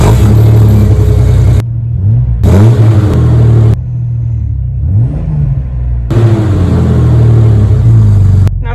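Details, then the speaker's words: Jeep Cherokee XJ exhaust after fitting muffler and tailpipes, revved in blips: deep, throaty note rising and falling, no rasp or leak puffing; sealed, clear of frame and leaf spring, big improvement over no exhaust, normal. "definitely an improvement over the no exhaust overall this is a win"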